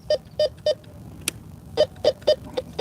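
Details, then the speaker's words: Bounty Hunter Tracker IV metal detector: short even beeps over a shallow spot; a suspected pull tab. "Okay, another potential pull tab there. High tone, all metal mode, tone mode. Get that little buzzy sound."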